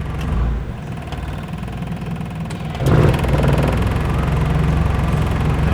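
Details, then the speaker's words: Carbureted engine at idle with the A/C switched on and the compressor-clutch delay box in place: a steady low idle that bumps up as the compressor engages and holds without stumbling or stalling. Owner complaint was stalling with A/C on. "จะนิ่งเลยนะครับจะไม่มีดับล้ะนะครับ"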